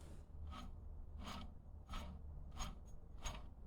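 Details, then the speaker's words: Failed alternator removed from a 2004–2008 Acura TSX 2.4L K24 with "Check Charging System" warning, turned by hand: short dry rasping bursts, stiff with resistance, something broken rattling inside; replaced with a new alternator. "this thing is not happy really doesn't want to spin can feel resistance in it and it's making noise"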